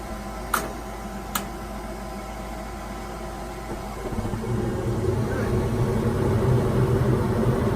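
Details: Gas furnace after installing a new igniter, replacing the old one that failed and let gas smell: two sharp clicks, then a soft low roar builds to a steady, even hum; burner lit cleanly, normal.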